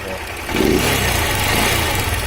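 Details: Honda CG 160 Start, 29,000 km, previously run low on oil and died: a single-cylinder idle with a harsh, loud top-end mechanical clatter that grows with throttle. Cause not yet found; the engine is to be removed for inspection.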